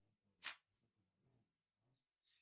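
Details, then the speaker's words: Microwave-kiln-fired clay tile, cooled, tapped with a metal object; single bright glassy ring, unlike the dull sound of unfired clay: properly fired ceramic ring. "And when you take it out, you can check by tapping it with a metal object. And that way you'll hear the typical sound, that nice one, that sound like glass,"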